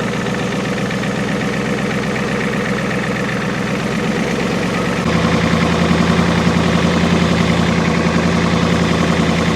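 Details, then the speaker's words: 1989 Ford F250 7.3L IDI diesel, sat 6 years, first start on starting fluid: clatter holds then drops and shifts abruptly, idle stumbling; owner suspects air still in fuel lines, not taking fuel. "we still got air in the lines is what's wrong I can't understand why it's not taking fuel"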